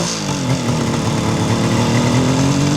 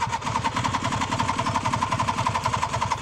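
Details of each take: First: Fully restored 1976 Suzuki GT750A two-stroke triple on original pipes, started stone cold on a cold day after a week unused, about 1,000 miles since rebuild: smooth, even, quiet burble rising gently with throttle, no knocks or misfires; normal engine revving. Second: 1976 Suzuki GT750A two-stroke triple, restored, stone cold after a week unused, choke on, electric start: starter grinds slowly about 3.5 beats a second, labouring and uneven, drops away without firing; slow cranking, then starts on next try.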